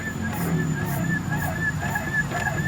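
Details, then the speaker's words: Car front suspension on a shaker: dull knocks about twice a second as the wheel is rocked, a loose clunk from a worn front stabilizer link; steering pulling on its own may stem from worn parts. "Link stabilnya udah mulai oblak nih. Kalian ada suaranya juga nih, kalian bisa dengar."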